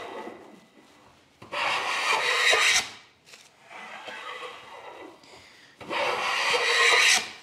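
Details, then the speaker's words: Hand plane, waxed sole, on black spruce softwood as the blade is advanced: two harsh, rasping strokes with a rough, buzzy cut edge, which is blade vibration (chatter). "know if you can hear that noise but that's essentially vibration of the blade"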